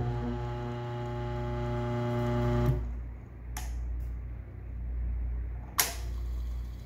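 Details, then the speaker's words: New single-phase motor, bench-tested before fitting: starts instantly with a steady even low hum, cuts off cleanly, no grinding or stalling; centrifugal switch working, normal start-up. "all right switches working so the centrifugal switch is working and the motor starts up when we plug it in instantly"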